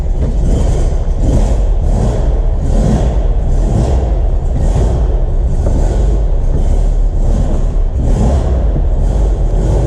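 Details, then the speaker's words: 1958 Porsche 356 Speedster, air-cooled four converted to 12 volts with an electric fuel pump priming the carburettors: crisp start, then an even, steady run with clean throttle blips; normal running after a perfect start. "On a une pompe électrique, on permet d'amorcer les carburateurs et on démarre facilement. Voilà, donc là démarrage parfait."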